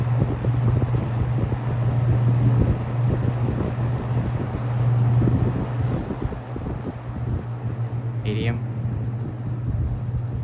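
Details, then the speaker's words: Restored ~1977 Superlectric 2083 fan, first run, on medium: deep constant low buzz under the airflow; owner suspects a winding that had a loose wire. "yeah one of the windings had a loose wire so it's probably that"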